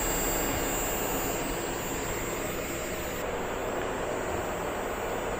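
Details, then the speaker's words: CountryMod 24V DC 10,000 BTU low-profile rooftop air conditioner with its cover removed, fed by solar and battery while blowing cold air: steady, even rushing hum with a constant compressor drone and no knocks or rattles. Compressor running normally. "And here it is running with the cover removed. You can hear the uh the compressor right here."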